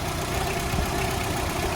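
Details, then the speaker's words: VW Golf Mk2, after adjusting the idle because it was running at too low an RPM: the four-cylinder ticks over at a steady, even idle with no hunting or stumble. Normal idle. "yeah so that sounds a bit better let's go and check yeah that's perfect now"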